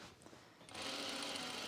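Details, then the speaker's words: Sewing machine running while stitching a dress: after a quiet start a thin, high squealing whine sets in; the dry mechanism squeaks and needs machine oil. "yeah I know yeah you could hear that I know I'm a little bit like oof I need some machine"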